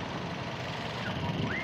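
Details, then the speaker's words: Used ex-taxi car engine, high mileage, not yet hot enough for the thermostat-triggered fan, some vibration noted: short even low idle with no knocks or ticks; engine idling normally. "teman-teman mesin masih Idal semua"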